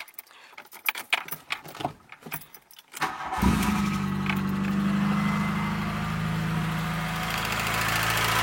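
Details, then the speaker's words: VW Golf 2, 1.8 90 hp GU engine, at idle after start: a light, quick clatter from the top end that persists beyond a few minutes; worn hydraulic lifters tapping, to be replaced. "pas si on va bien l'entendre mais on entend un on entend bien un bruit de claquement qui vient de la dessous"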